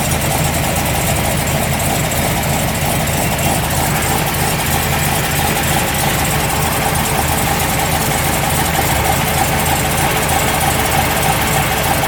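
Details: 1973 Corvette C3 big block V8 after a mini starter was installed to cure starter heat soak: deep, steady, even idle with no knocks, misses or whine; running smoothly.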